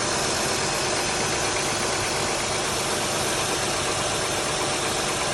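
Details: 04 TL, cold start: steady idle with a dense, hard ticking knock that grows more pronounced after about 30 seconds, heard most at the front and back of the cylinders; owner wonders if valves need adjustment.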